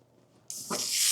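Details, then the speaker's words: 1971 Mercedes-Benz 300 SEL 3.5, air suspension released via the knob under the hood: sudden sharp hiss building to a steady rush of escaping air as the car slowly lowers, front right apparently going first. "Oh, there it goes. There goes the air. It's a little slow on going down. I think the front right is going first."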